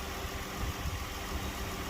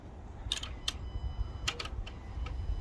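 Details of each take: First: 2012 Dodge Grand Caravan after no-start fixed with fuel pump relay bypass cable in the TIPM fuse box: quiet low even idle, no stumbles or knocks; engine running fine. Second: 2012 Dodge Grand Caravan no-start: starter cranks, engine catches for a short ragged sputter and dies; fuel pump not running, fault traced to the fuel pump relay in the TIPM fuse box, before bypass fix.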